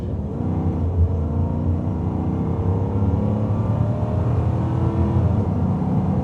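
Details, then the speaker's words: 1996 Aston Martin V8 Vantage coupé, 350 bhp 4-cam 32-valve V8, warm with temperatures and pressures up. Under hard throttle its deep growl climbs cleanly with no misfires or knocks. Normal acceleration. "that lovely Aston Martin V8 Bellow and again everything the accelerator the brake the steering they are all beautifully balanced weight wise"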